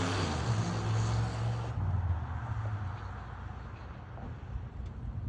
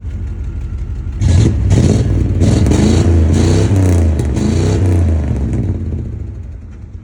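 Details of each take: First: 1992 Buick Roadmaster V8 with no catalytic converters, loud deep burble from open exhaust idling evenly with no skips or stumbles; normal smooth idle, no misfire. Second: 1992 Buick Roadmaster V8 without catalytic converters, loud deep exhaust revving up and down with an uneven, stumbling beat from a misfire.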